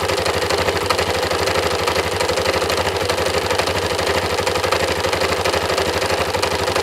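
A steady idle with a sharp, regular tapping about three times a second riding over it; a knock whose cause is not yet known.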